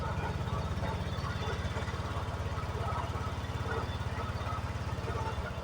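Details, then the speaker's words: Honda Vario 125 scooter after repairing the TPS (throttle position sensor) instead of replacing it, fixing the MIL blinking 8 times and power loss: steady even idle, no misses, no MIL blink; normal after 3 days of use. "Setelah pemakaian selama 3 hari kedipan lampu mil sudah tidak muncul lagi dan motor sudah bisa normal kembali"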